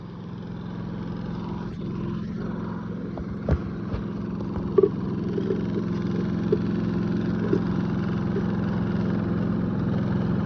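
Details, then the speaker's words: Predator 3500 inverter generator after an oil change, spark plug and air filter change, running in eco mode with no load. A smooth, even hum with no knocks or misses; RPM rises only slightly when load is applied. "I think it's so dumb because eco mode only works when you don't have anything hooked up to it. Like, let me explain, let me show you. So right now we have eco mode on."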